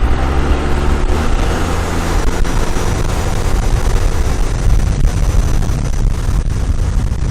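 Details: 12-valve diesel after fuel plate mod, driving with the intercooler boot popped off; deep heavy drone under throttle with no turbo whistle and sluggish pull, a boost leak.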